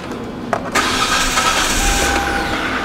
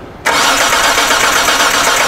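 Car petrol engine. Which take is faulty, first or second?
second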